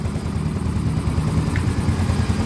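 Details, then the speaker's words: Soul GT 125 motorcycle after engine rebuild (piston damaged again a month after previous rebuild): steady even low putter at idle, no knocks or ticks, very smooth like factory, while checking oil flow to the cylinder head. "Oke Alhamdulillah motornya hidup dan perhatikan suara mesinnya ini sangat halus sekali seperti bawaan pabriknya ya"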